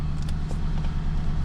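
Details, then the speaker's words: Nissan Titan after starter replacement for a click-no-start: restarted, low steady rumble at idle with earlier ticking gone; owner suspected exhaust leak or lifters not pumped up; engine now quiet and smooth. "Start it again. Well, it runs. Oh, now it's quiet."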